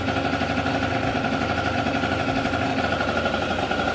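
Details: MBK Nitro scooter (Doppler 50 cast kit, Doppler S3R exhaust, Dell'Orto PHBG 21 carb, Doppler ER1 variator, 4.5 g rollers), kick-started after choke and about 30 s wait: crisp, fast, even two-stroke idle with no misses; normal idle.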